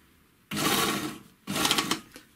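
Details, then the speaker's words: 3-thread overlocker after cleaning and lubrication, sewing thick denim: short bursts with sharp knocks as the knife reaches the dense fabric, caused by play in a loose upper knife; normal again off the thick material. "как у меня нож только заехал на плотный материал сразу пошел звук слышите я съехал и уже все нормально стало смотрите слышите верхний нож болтается здесь появился люфт"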